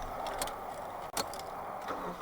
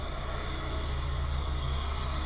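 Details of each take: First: Mitsubishi Shogun Pinin 2.0 GDI 4G94 with fault code P0190, first start after fuel system work with no fuel in system: catches after a few tries, uneven wavering idle with dips and surges, running lean from air in fuel lines. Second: Mitsubishi Shogun Pinin 2.0 GDI 4G94 four-cylinder, idling in gear (reverse) after fuel system work for P0190: deep, slow, steady rumble that sounds close to stalling but holds about 590–600 RPM against the ECU's 600 RPM target; normal low idle.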